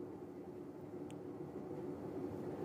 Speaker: audio inspection I can hear the bearings are dry in rotation barring replacements